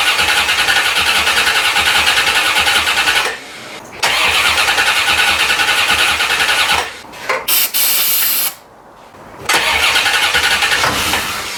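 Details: 1990 C4 Corvette V8, rebuilt after 5 years apart for a blown head gasket: the starter spins briskly in several bursts with pauses but never fires. Owner suspects no fuel delivery, since it was parked low on gas.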